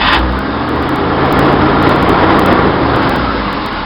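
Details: 1966 Chevy van 230 straight six, Weber 32/36 2bbl on stock 1bbl manifold via adapter, chokes open, running without the choke's 12 V feed: steady raised idle never dropping; vacuum leak suspected, unconfirmed.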